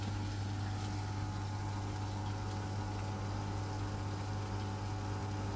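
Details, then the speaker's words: Beko dishwasher on final test after freeing a drain pump stuck from five months of disuse: steady low electric hum with faint watery swirl, even and unbroken; normal drain pump operation after repair. "Now drain motor, you can hear the noise. Now drain motor is working."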